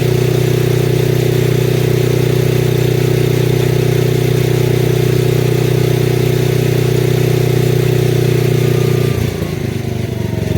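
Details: Lincoln Weldanpower AC/DC 225 welder, idle screws adjusted to cure occasional backfire when dropping to low idle: steady high-speed drone holds, then drops cleanly and smoothly to a slow idle with no popping or backfire.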